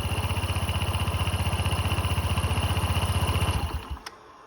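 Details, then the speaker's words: Honda SH150i scooter, about 8,700 miles, checked for starter whine: even idle about four beats per second, then winds down and stops cleanly with no whine at shutdown; healthy, owner still plans bench-testing the starter. "Okay, so far it's turning it off. It's made no more whine, so that's good. That's good news."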